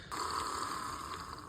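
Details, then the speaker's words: Custom L&N F unit model train locomotive from vintage collection, on transformer: steady, even motor hum at constant pitch, no rattle or stutter; good runner, normal running. "That's a good runner right there."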